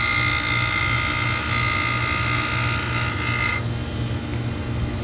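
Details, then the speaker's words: Walk-in cooler condensing unit (compressor with weak valves, bad headmaster and fan cycle control, plugged evaporator) just started: even, steady hum with a faint high tone that drops out partway; compressor sounds very healthy. "Sounds very healthy."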